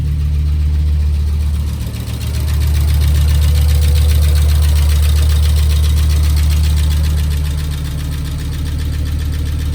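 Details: 1996 Volvo 850R turbo, about 90,000 miles, first cold start after 16 years in storage, with new plugs, coil, fuel filter, oil, coolant, ATF, thermostat, battery and 98-octane fuel: steady low idle with one brief sag, then a healthy smooth idle.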